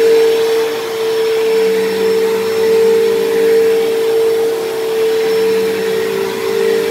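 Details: Dyson DC07 upright vacuum, long unused, running: loud steady high whine over airflow roar, much harsher than normal; owner suspects dried-out bearings in motor or brush roll, motor bearings already somewhat worn and worsening, still passable.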